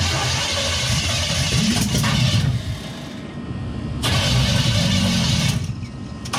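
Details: 1963 Chevy C10 with 355ci (350 bored .030 over) V8 and Turbo 350, unrun for years: starter churns in long uneven bursts with brief catches but never settles into a run; mechanical fuel pump not feeding the carburettor, later replaced.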